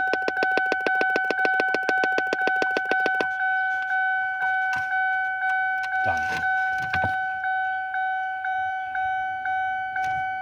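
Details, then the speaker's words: 2002 Lincoln LS V8, key in ignition: rapid popping from a dash speaker stops after unplugging an unknown under-dash module, possibly an old aftermarket car starter, leaving only the slow key-on chime. "God rest assured, that popping noise is gone. Thank God."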